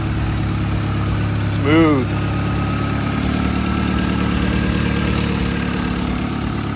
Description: After months of work, late nights, and a full engine swap, my MK7 GTI finally fires up for the first time.